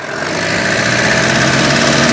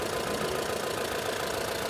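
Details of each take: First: Mahindra Bolero Camper 4x4 pickup diesel after EGR repair, oil at minimum with carbon and metal debris: loud idle with steady knock near four beats a second that stops at shutdown; internal knock from debris in oil. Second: Mahindra Bolero Camper 4x4 pickup diesel after repairing EGR fault (P01940C): even, steady idle clatter with no dips or stumbles; engine that previously dropped and shook now idles smoothly.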